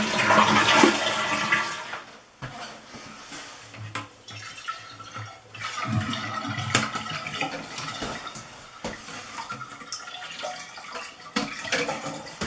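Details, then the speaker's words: Toilet after replacing the flush valve gasket (Korky) to stop running: loud flush rush, then steady quieter refill trickle that stops cleanly, flush valve sealing; normal flush and refill. "now you can turn the water back on and fill up the tank congratulations you just successfully change the gasket on a flush valve"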